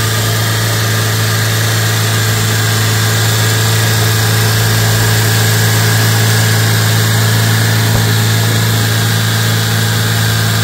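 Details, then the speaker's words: 2008 Chevrolet Spark after EGR valve cleaning with throttle body cleaner: fast idle (sounds ~3000 rpm or more) without throttle, then cuts off with a lingering hiss; hissing near intake manifold, suspected vacuum leak with intake backfire. "Intake manifold के पास से hissing नॉज आती है सुनके ऐसा लगता है जैसे हवा लीक हो रही हो और यही आवाज स्टार्ट बंद करने के समय में भी सुनाई देगा आप लोगों को"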